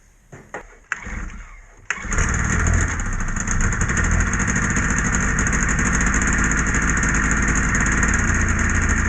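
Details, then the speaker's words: Polaris Edge 600 XC two-stroke sled after clutch spring replacement, first start to check clutch engagement: a few rough cranking pops, catches at about two seconds, then settles into a steady, even idle. "Time to start it up. I'm going to start it up just to see how the clutch engages."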